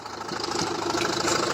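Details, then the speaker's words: Renault 1.9 F9Q diesel idling with the wheel and undertray removed; quick, even rod-like knock tied to engine speed that vanishes when the belt tensioner roller is pressed; accessory drive knock from crank pulley, alternator or other belt-driven parts. "Натягиваем, звук пропадает. Хоть в одну сторону, хоть в другую сторону."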